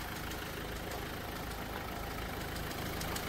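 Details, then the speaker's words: Renault Duster engine, bonnet open, before oil treatment; faint light ticking about three per second over quiet idle hum, heard only at idle and gone above 2000 rpm; owner calls it slight knocking, cause unknown. "पण हा sound थोडासा गाडी running condition मध्ये असताना आयडलिंगला तेव्हाच येतो गाडी 2000 RPM च्या वरती गेल्यावर हा साऊंड पूर्णपणे बंद होतो आयडललाच हा साऊंड येतोय"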